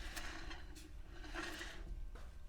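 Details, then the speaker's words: RV trailer manual-adjusting drum brake after adjustment, drum turned by hand: faint, uneven scraping comes and goes, light shoe friction but the drum still spins, the contact wanted from a properly adjusted brake. "okay you can hear a little bit of that grinding sound and that grinding sound is what we're looking for there's a little bit of friction but not enough to the point where it won't spin"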